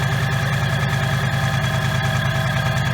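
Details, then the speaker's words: 2019 Mustang GT needing an engine replacement: rough V8 idle with a steady deep knock about two to three per second, pronounced under the hood, smoke puffing from passenger-side exhaust; suspected rod knock, major internal damage. "the noise is very pronounced under the hood it's got some kind of a rod knock or something like that internally there's some major damage inside this motor"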